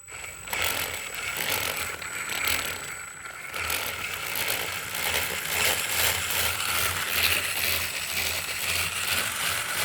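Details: Brand new out-of-box FTX Kanyon electric RC crawler driving: gritty rasping grind from both differentials, louder at the front.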